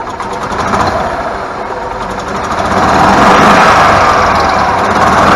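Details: Club Car golf cart that cranked but had no spark, after replacing the rev limiter box: engine catches and builds to a steady, even running note held for several seconds; starts and runs normally.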